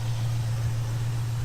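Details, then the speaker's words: 1968 Ford Mustang during a pre-purchase inspection, hood open, engine idling: smooth, even low rumble with steady pitch and no misfire, ticking or knocking; no abnormal top-end or bottom-end noises, pretty healthy. Normal idle. "and it sounds pretty solid great I'm not hearing any abnormal noises coming from the top end or the bottom end of the vehicle I don't hear any misfiring go so far pretty healthy"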